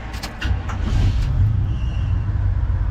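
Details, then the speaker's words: 1974 Chevrolet C10 pickup, reportedly Corvette engine, hot restart after a 5-7 minute heat soak: brief crank then catches at once into a steady idle, no vapor lock; the carburetor adapter plate appears to be working. "right up and we were probably in there 5 to 7 minutes which is more than enough time for the fuel to boil so I think I think that adapter plate that we put on the carburetor is doing what it's supposed to do"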